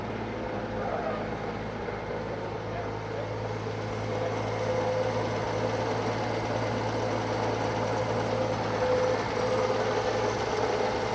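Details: Circa-1952 Austin 6-cylinder petrol truck just revived after about 20 years standing: steady, even low idle with smooth hum and no ticking or missing; normal idle, owner unsure of a slight miss, hears no burnt valve, found a lead pulled from the distributor cap.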